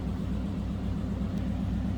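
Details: 1941 Cadillac Series 60 Special Fleetwood, 346 cubic inch flathead V8, heard from the rear of the car: low, soft, even idle rumble with a steady beat, no ticking or knocking; a quiet, healthy idle.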